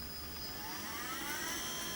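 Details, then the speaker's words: DC motor on Gertbot controller board with ramp-up set to two seconds, stop to one second: whine climbs smoothly in pitch over about two seconds, eliminating high inrush current; normal soft start. "i can change that as well i can change to change that to sort one second here so now if i start it up it starts in two seconds"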